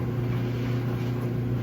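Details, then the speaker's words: Clothes dryer test run after broken drum belt replaced; steady low hum and even rumble, no thumping, scraping or squeal; drum turning smoothly, dryer working properly. "As you can hear, dryer is good."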